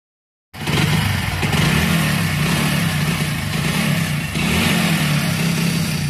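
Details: Motorcycle brought in pushed, running very rough: lumpy, stumbling, uneven beat with no clean rhythm; misfire traced to a spark plug gap bent shut, not the carburettor the customer suspected.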